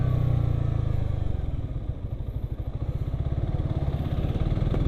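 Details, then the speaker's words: Suzuki GSX-R 150 single after new piston head set and cam chain, now on Shell V-Power Nitro: settles from high revs into an even, steady beat with a faint new-chain whine, no pinging or rattle as before; engine runs clean. "Lebih kedengaran suara nging gitu kayak mesin eh mesin kayak kerate yang masih baru. Suara rantai-kata yang masih baru gitu kan nging agak-agak nging gitu kedengaran lur sebelumnya itu suaranya kelitik-kelitik kasih kelik."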